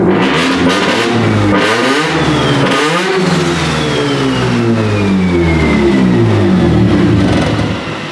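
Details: Big-turbo Mazda RX-7 rotary first start after two years, on fresh E85 with premix, cleaned injectors whose screen filters clogged with premix: fires and revs up and down freely, raspy buzzing exhaust climbing and falling evenly; runs cleanly.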